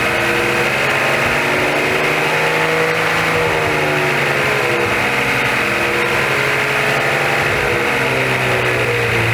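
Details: 2014 Maserati Ghibli SQ4, broken after 0-60 runs: steady idle with droning, wavering noise starting a couple seconds after start-up, disappearing when dipstick is pulled and returning when reinserted; source unconfirmed, power steering pump initially suspected.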